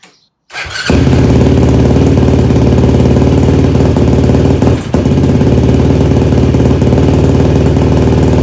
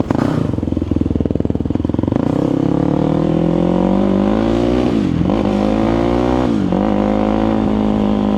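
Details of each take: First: Yamaha YFZ450 rebuild, rebuilt carburetor with new jets, restarted with fuel petcock now turned on: catches after short crank and runs loud with a lumpy, uneven beat instead of clean idle; rough running, jetting still needs adjusting. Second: Rebuilt Yamaha YFZ450 quad after carburetor rejetting, taken for a longer ride: the single-cylinder cracks into a crisp idle, then rises and settles cleanly through blips without stumbling. It is now dialed in and running healthy, and the build is complete.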